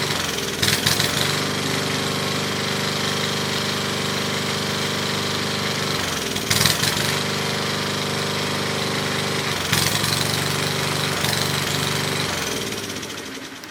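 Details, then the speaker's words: Free MTD Wizard lawn tractor, small single-cylinder: steady, even engine note at constant speed with a few brief rattles; runs smoothly, though owner suspects a clutch or transaxle problem with loose shifters. "well it runs really good there's something up with the clutch though or the transaxle"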